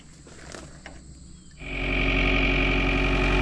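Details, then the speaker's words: Ford 6610 tractor diesel, first start after replacing the lift pump, which was worn by tank vacuum from an unvented fuel cap; system bled. Quiet for about 1.5 seconds, then it catches quickly into a smooth, even idle. Normal idle. "Yay, it runs. And it actually didn't take a whole lot of cranking, which is odd."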